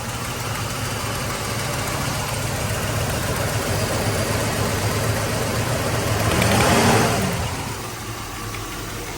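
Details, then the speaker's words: 1985 Mercedes 500SEC Euro V8: revved then drops back to a rough, lumpy idle misfire once fully warmed up; power is plentiful and it smooths out under acceleration; owner hears possible air or exhaust leak. "so there's plenty of power but the idles back down and there's a misfire"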